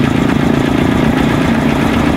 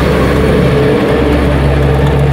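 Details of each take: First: Honda TMX Supremo single-cylinder after cam chain tensioner replacement: even, fast idle thrum with no ticking or clatter from the timing chain area; the earlier cold tick is gone and the engine sounds healthy. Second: Cold single-cylinder motorcycle idle: a quick, light, fairly regular top-end ticking that is present when cold and disappears once the engine warms. Cam chain tensioner tick from a weak tensioner letting the chain slap.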